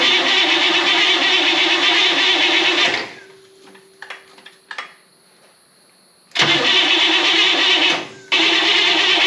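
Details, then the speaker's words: 1964 Buick Electra 225, 38,000 original miles, rebuilt after an engine fire, first start attempt: repeated cranking bursts, starter spinning evenly but engine never fires; distributor installed 180 degrees out. "awesome it's been a long time since I've done that backwards yep I stabbed the distributor 180 out just got a little overzealous there"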